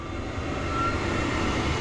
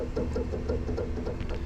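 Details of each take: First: Noritz N-0751M-DV tankless water heater after replacing failed bypass valve (error 66): clicking ignition, then steady, even rushing roar of burning gas with no popping or sputter; normal burner firing. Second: Noritz N-0751M-DV tankless water heater showing error 66 with no water being drawn: low steady buzz with faint pulsing about six times a second; the failing bypass valve (water servo) straining to open or close.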